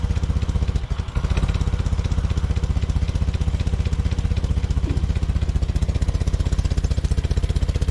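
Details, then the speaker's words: Small engine after the ignition capacitor was replaced with a used one reading about 1.5 microfarads, run a while so warm; even regular low putter with no misses or stumbles; normal warm idle. "stuck that back in and this is again working nicely I've had it running for a little while so it's warm"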